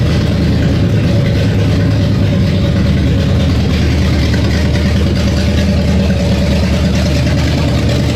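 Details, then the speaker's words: V8, down over a year, first start after quick initial carb and timing tune: strong steady rumble, no knocks or misses; running well. "So good to hear it running after over a year. Oh, I love it."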